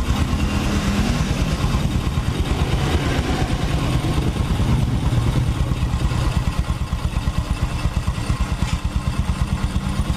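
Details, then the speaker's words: Honda Supra X 125 after engine repair, road test: even single-cylinder thumping at a steady pace with no knock, tick or rattle; the engine stays smooth even when pushed. "ini kondisi mesinnya habis kita berserat berserat pun masih tetap halus ya toh kita teman-teman dengarkan"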